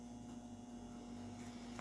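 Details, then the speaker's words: Consul CWC12A washing machine after replacing the drain pump: steady low motor hum at high spin speed with no knocking, rattling or grinding; mechanics are fine and the spin is normal. "Tá bonito a centrifugação dela, ó. Sem barulho. Barulho normal, né? De máquina, né?"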